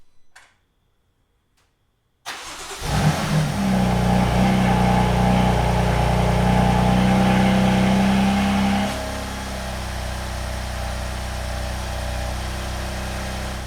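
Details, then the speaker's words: BMW M3 after replacing a broken accessory belt tensioner: clean start, short rev rise, smooth idle during warm-up with no belt-drive rattle; the earlier noise, which appeared with throttle, has not returned so far. "all right guys car is on I just wanted to kind of let it warm up a little bit um cuz that's usually when the noise kind of happened once I gave it a little gas and the you know actual engine started moving that's when it started making that noise but so far so good"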